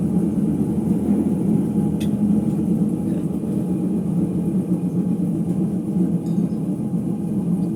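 Deep, steady rumble droning under the coasting drum with no clean hum; worn drum bearings rumbling as it spins down.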